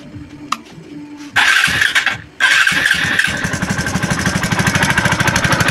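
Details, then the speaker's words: TVS Apache RTR 2V after a half engine rebuild with a big bore cylinder block, first start after fitting; it catches after a couple of cranks and idles loudly with sharp, raspy popping because the exhaust nut isn't fitted yet. Exhaust leak. "এমন শব্দ দেওয়ার কারণ আমি David নাটটা এখনও লাগাই নাই। সেজন্য এরকম শব্দ দিতেছে, কিন্তু আগের চাইতে মনে হইতেছে অনেক বেটার পারফরমেন্স হবে।"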